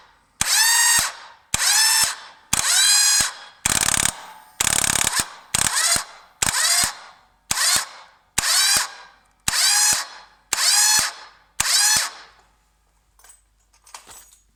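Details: 1998 Yamaha Virago XV1100 won't start despite a good bendix, new idler gear and fully charged battery: about a dozen one-second bursts of high whirring starter spin with a clatter at each engage, engine never fires.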